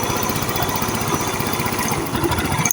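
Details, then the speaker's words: Motorcycle idling just after its new starter motor was fitted (it previously would not electric-start after stopping), a fender still removed so not revved: quick, even single-cylinder putter, no knocks or misses, very soft, smooth sound; healthy idle. "เปิดสวิตกุญแจสตาร์ทนี่เสียงนิ่มมากนะครับเสียงนิ่มมากเลยนะ"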